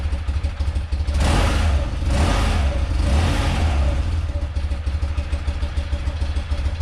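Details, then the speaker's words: Rare motorcycle (1 of 286) on its first run after purchase, on full choke after the carb float bowl was refitted. Deep, even boxer-twin thrum with clean rev blips dropping smoothly back to a steady idle; runs healthy. "nice that's all i wanted all i wanted to do is hear it run hear it you know rev up a little bit"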